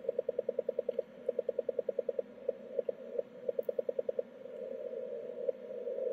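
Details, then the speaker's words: 10 GHz beacon transmitter with keyed voltage to the last two multiplier amplifier stages, heard 1 kHz off frequency: sharp clicks on a steady tone at both key-down and key-up; key clicks, 330 µF capacitor not yet in circuit. "there's the key click on break so it's clicking um it's clicking both on key down and key up or make and break"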